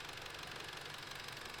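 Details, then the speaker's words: Audi S3 with a coolant leak, idling cap-off to bleed the cooling system: fast, even ticking with sharp top-end clatter. The tick is new; owner fears engine damage, cause unconfirmed. The leak source was then found: a small hole. "There's a strong ticking sound. It never used to sound like this. I don't like the sound of that."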